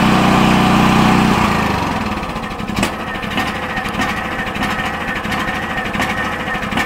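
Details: DuroMax XP10000E 10,000-watt portable generator after fitting a tri-fuel kit: loud start at high revs easing down into a steady, even chug with no knocks or misses, as the idle control lowers speed when no electricity is being drawn.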